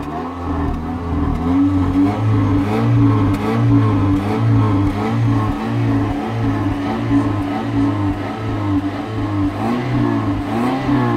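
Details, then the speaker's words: Toyota 1ZZ-FE engine during solvent decoking, solvent left in the cylinders, running at idle with slight throttle for 15 minutes: idle surges and sags about once or twice a second, stumbling close to stalling. "Le moteur n'aime pas trop ce qu'on a versé dans les cylindres, il essaie de caler, sape, il ne survivra à rien."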